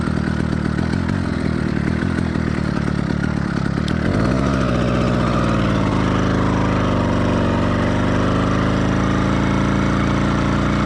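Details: Two-stroke motorized bike engine, cold start on a cool day with choke briefly, now in warm-up phase; uneven burbling beat that skips and doubles up with wandering pitch; four-stroking from rich mixture, expected during first 5–10 minutes.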